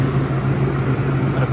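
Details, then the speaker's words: Rooftop dairy box condenser unit fans running smoothly with steady hum and airflow whoosh after repair; noisy fan with suspected failing bearings, broken wire found and rewired. "all right you guys I'm all done got all my fans working put wired it up put the cover on that's it"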